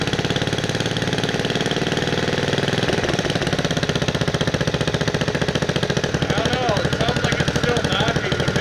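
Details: 1969 Bolens 850 tractor, Wisconsin S8D 8.25 hp single-cylinder, after setting points and initial carb adjustment: fast uneven beat with harsh rattling knock at high RPM; also idles poorly and smokes; cause not yet found.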